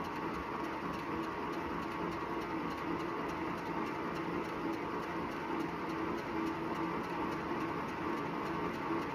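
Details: Wahoo Bike Shift after 379 km: faint rhythmic rubbing about once a second with every full pedal stroke over a quiet whir, from the belt drive. This led to a warranty claim.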